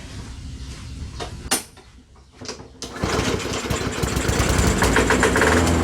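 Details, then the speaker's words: Curbside Poulan Pro mower, Briggs & Stratton 550EX, said to have a broken piston, started on ether with carburetor assumed full of oil: catches after a few coughs, runs uneven and lumpy, smoking heavily; rough running from oil overfill, carb clean needed. "it's running but it's running rough but it runs so much for it being a broken piston"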